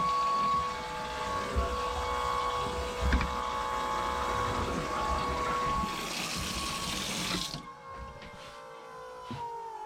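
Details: Boat sea-water pump first start, hose dipped in a bucket of water, tap outlet: steady motor hum with gurgling as it primes, then even flow, then a clean stop; good flow, no leaks. Normal pump operation.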